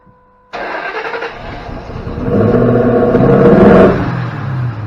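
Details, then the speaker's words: 2005 Ford Mustang GT no-start: long steady cranking, engine labouring and never catching; scan tool shows excessive mass airflow registering, dumping fuel; MAF sensor suspected, not yet confirmed. "starts so with excessive mass airflow registering it's dumping gas in trying to get it to start"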